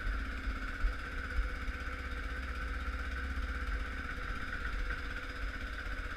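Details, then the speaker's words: 2004 Kawasaki KVF 360 (Prairie 360) ATV, cold start after sitting overnight at about minus six: steady, slightly slow low thump with an even beat, no knocks or misses; idling fine while warming up. "so here you go that's a cold start I'm just gonna let it warm up here for a minute"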